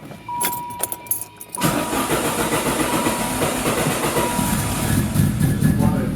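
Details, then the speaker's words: First start after new spark plug wires: keys jingle, starter turns briefly, engine catches and settles to a steady even idle with no misfire. "Sounds good. Sounds really good."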